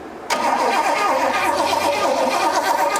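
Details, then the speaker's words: 1972 Pontiac LeMans barn find, sat about 20 years, water in the fuel, cranked to check spark: starter whirs steadily about three seconds with no firing; plugs now heard sparking but engine cranks without catching. "All right. Yeah, I hear them sparking now. I just needed to, that did a lot of good."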